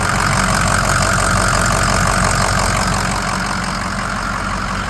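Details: 2006 Ford F-250, factory exhaust (not straight-piped), aftermarket intake, new battery, at idle: even steady idle with a smooth regular beat, no ticks, knocks or squeals; engine sounds healthy, nothing wrong noticed under the hood.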